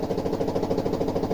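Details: Samsung washer knocking hard during spin, about seven fast thuds a second. The cause is not the bearings but a loose shock absorber with a broken bushing.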